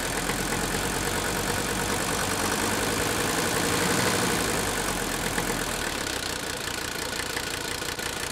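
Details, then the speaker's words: Old Mercedes-Benz diesel after replacing number 3 fuel injector, engine brought slightly off idle; rough idle with uneven stumble about three times a second, cylinder still trying to fire; misfire persists though slightly improved, hot compression test on number 3 planned. "Okay, we still got a miss right there. You can hear it. See that? It's trying to fire right in there."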